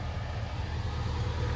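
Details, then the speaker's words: Owner-built truck started after sitting unused a long while, with the electric radiator fans wired directly to battery power: a smooth, even low rumble with no knocks, misses or surging. Normal idle. "I'm gonna close up the hood and just like that's fine yes vexy she's running she sounds beautiful"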